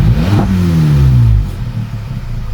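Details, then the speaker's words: VW Polo 1.2 TSI that previously idled roughly, worse when warm, after a smoke test and replacing the throttle body and HT leads: a quick rev blip drops straight back to a smooth idle without sticking, and it no longer misfires. "just jumped in the car now guys to show you it's idling hell of a lot better than what it was and if i r it the revs are coming straight back down and not stick"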